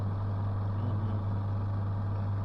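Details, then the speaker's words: Adler washing machine that only hummed, after the drive belt was refitted: steady, even low motor hum with no grinding, rubbing or labouring; drum turning normally both directions. "Так зараз ще раз я буду включать з ремішком о тихенько як роби чудово"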